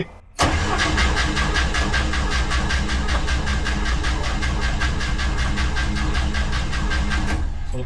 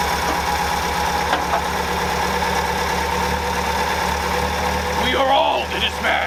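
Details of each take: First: 1964 International Scout 80 cranking steadily about seven seconds without firing; mechanical fuel pump not delivering fuel, suspected rod not engaging correctly or pump already full, not confirmed; switching to electric pump. Crank, no start. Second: 1964 International Scout 80 after grounding fix and new low-pressure electric fuel pump: steady, even idle with smooth low exhaust beat through Sonic muffler, no misses or knocks; runs like a top. Normal idle.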